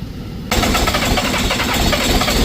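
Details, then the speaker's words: Skid loader diesel, broken down in cold weather, catches after cranking and runs rough, stumbling and missing; one injector not getting much fuel to its top side, air still in the injectors needing bleeding. "Alright, hold up. This one's not getting a lot of fuel to the top side of the injector."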